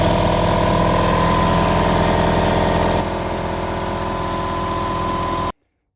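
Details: Newly installed compressor with big red switch, pumping up to about 145 psi (10 bar); even, steady hum at three to four beats a second, easing slightly before stopping cleanly; compressor working fine.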